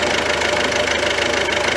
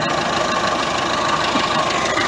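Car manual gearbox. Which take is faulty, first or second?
second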